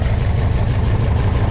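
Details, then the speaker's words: Freshly rebuilt Porsche 356SC engine, about 90 hp, at low idle with a sync gauge on the twin carburetors: low, throbbing idle with an uneven, loping beat; left carb pulls more vacuum than right, carburetors unsynchronized and need equal throttle adjustment. "see it's barely moving so the left-hand car is it's doing more sucking than a right-hand car so all i have to do is adjust these to where both carburetors are getting an equal amount of throttle"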